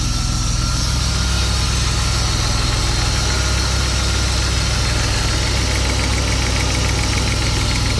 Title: m50 ticking sound